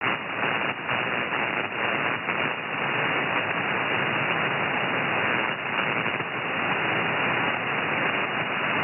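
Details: Anan radio receiver: hissing static swells in bursts whenever a strong sideband signal peaks. The noise blanker shuts off at that threshold and the noise floor rises; in the evenings all signals are strong enough to defeat it.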